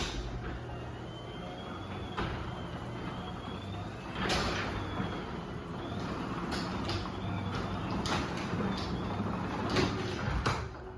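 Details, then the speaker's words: 2013 Chamberlain LW5000EV DC belt-drive garage door opener, T-rail, 8-foot belt, high-cycle unit: low steady motor drone with a few light clunks as the door travels, a slight jump from the springs; normal operation. "It does kind of jump a little bit because of the springs, but anyway, we'll run this back down, and that'll be it."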